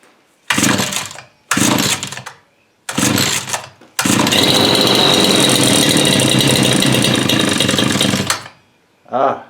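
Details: Bush cutter two-stroke engine on its first start after repair, fuel primer pumped and choke on: three short pull-start bursts, then it catches and runs steadily with a high buzzing note. This is a normal start.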